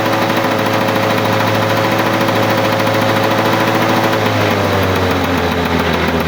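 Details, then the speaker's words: 1985 Lawn-Boy 7350 two-stroke mower, revived after sitting outside for years: steady even burbling exhaust, dipping slightly in speed near the end; normal running. "she sounds like a long boy girl that's pretty good"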